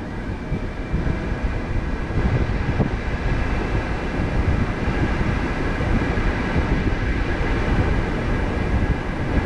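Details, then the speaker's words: Jeep JL Wrangler Rubicon AC condenser fan switching on after sitting in the sun at about 80°F; steady loud rushing howl with faint whine, constant and even, worse on hotter days; normal condenser fan noise. "the air conditioning noise ac is off at the moment it's coming on and just wait"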